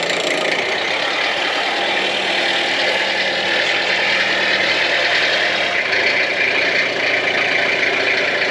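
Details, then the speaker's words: Peugeot P4 army jeep diesel, first start after about 10 years, glow plug preheated, in neutral, not revved: steady, even tick-over with no misses or knocks, exhaust clear, not smoky, no sign of coolant. Normal diesel idle. "It's not smoky at all, it's quite clear. So I'm not going to rev it, because obviously this engine hasn't been used in quite a while, so I'm just going to let it tick over"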